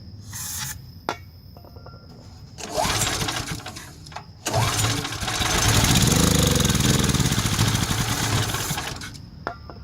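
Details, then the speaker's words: Generac Centurion 3250 generator unused 2 years, fresh gas, cleaned plug, fuel flowing to the carb: several pull starts fail. With carb cleaner or gas sprayed in it runs a few seconds then dies. Clogged carburetor blocking fuel, needs replacing. "J runs when you force feed the gas so it's not ignition problem it's definitely gas related so look for a carburetor replace it you'll be good to go enjoy"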